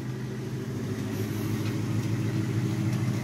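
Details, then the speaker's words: Ford with a new engine, restarted after sitting two weeks: a light, fairly regular tick several times a second rides over the steady idle rumble and follows engine speed. Engine ticking at idle, source not pinned down. "car hasn't run in two weeks and she's ticking away now look at that [Music] [Music] wow you can really hear it ticking now"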